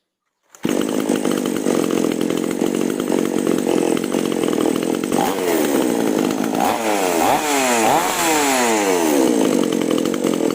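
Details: Freshly carb-tuned two-stroke chainsaw (H and L screws started at 1.5 turns out, H adjusted until surging stopped) screams steadily at full throttle while cutting wood, pitch dipping and recovering as it bites; runs clean and strong under load.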